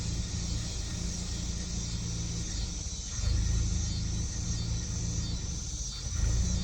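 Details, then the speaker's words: 2018 Kia Sportage 2.0 turbo: low, uneven idle sags twice as if about to stall, then surges back, like slight detonation; it stalls and enters limp mode, high-pressure fuel pump already replaced without fixing it, cause unknown. "Якщо зараз її завести починають пригать обороти буквально трішки машинка як будто би трішки детонує"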